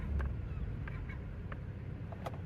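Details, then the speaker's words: 2016 Toyota Tacoma on a test drive, braking to a stop after the rear air-bag lift kit was worked on as the source of the rear clunk: only soft road rumble and no knock from the rear; the clunk is gone, though the lift kit now holds no air. "nothing. Try it again. Okay, the clunk is definitely gone, but I also have no air in my lift kit."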